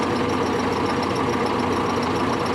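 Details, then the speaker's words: MAN truck diesel with about 2.2 million on it, idling warm: a thin constant squeak from the front of the engine that grows when the air compressor unloader closes and was absent when cold. It is suspected to be the worn fan drive bearing rather than the AC. "сейчас опять разгрузка сработает скрипы идет я думаю все таки это привод вентилятора"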